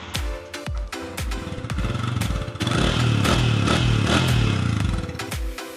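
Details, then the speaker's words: Serviced second-hand motorcycle with about 60,000 mileage, started and idling: it settles into a smooth, even idle with regular firing pulses and no tapping or rattle. The engine is very quiet and healthy. "Memang senyap guys, enjin."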